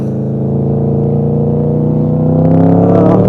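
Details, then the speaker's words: V4 motorcycle on a test ride, where a jet kit cured earlier spitting and popping: a smooth, even drone climbing in pitch as the bike pulls, with no popping or misfires. Normal running. "Such a smooth engine though. That V4, 4-cylinder, it's a V, 2 on the front, 2 on the back."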